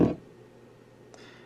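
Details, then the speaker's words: TEA2025B stereo amplifier IC on socket board, about 45 dB gain, connected to speaker; loud blurting burst, faint hum and small pop; unstable amplifier, suspected socket-board instability or wiring error, not confirmed. "now that's got a bad case of gas or yeah it's just not stable here on the socket board or i have something hooked up wrong"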